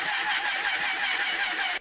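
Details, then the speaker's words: Suzuki Bandit custom motorcycle cranking with intermittent then no spark: rapid even cranking with weak ragged pops, never runs; only cylinder 3 seems to fire, spark plugs suspected worn out. "It seems cylinder 3 is the only one that's actually firing, which is a real pain. That means these spark plugs are probably goosed."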